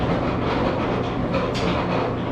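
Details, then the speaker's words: Speed Queen commercial dryer running: loud, constant grinding rumble under the turning drum; rollers suspected worn, not confirmed, before replacing rollers and belt. "can you hear all the grinding and the noise that that is making it's because probably we don't know but i'm pretty sure the rollers we have to replace the rollers"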